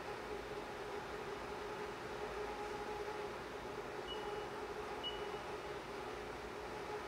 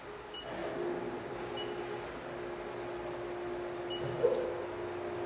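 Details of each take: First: CNC milling chatter demonstration with coolant on the tool: the steady hiss of a heavy cut carries a sustained ringing tone near 400 Hz throughout. The cut is unstable and the tool is chattering; only spindle speed differs from the stable cut. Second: CNC milling test cut after the chatter demonstration, changing only spindle speed: a steady, clean cutting tone with no screech or rising squeal over a quiet shop. A stable cut without chatter.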